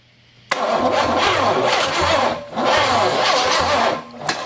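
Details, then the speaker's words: V8 with Quadrajet carburetor replacing an Edelbrock, cranking: starter turns in uneven lopsided bursts with no catch; no compression on one cylinder (thumb test), possibly from a stuck valve; rebuild may be needed. "one I ain't got no compression on one okay so she may need to rebuild"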